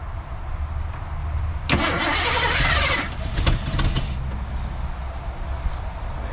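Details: 1987 Ford F150 with EFI, being converted to carburetor and HEI distributor, cranks hard for about two seconds over a low rumble but never catches; owner suspects it is getting no fuel, cause not confirmed.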